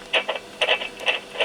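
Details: Yaesu FT-7800 radio on the bench, noisy on transmit: short scratchy crackle bursts break through transmit audio; an intermittent fault at the microphone capsule solder connection, fixed by reflowing, though a different noise remains. Cause suspected, not confirmed.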